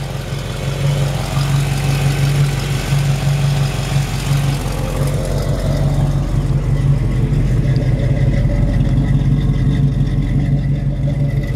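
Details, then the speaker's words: Cold 1973 Camaro V8, recently rebuilt, Edelbrock Performer intake, long-tube headers, mild cam: deep even burble with slight cam lope, steady beat, no tapping; healthy cold idle, owner says it runs great. "other than that the engine looks like it runs great recent rebuild got an edelbrock performer intake on it"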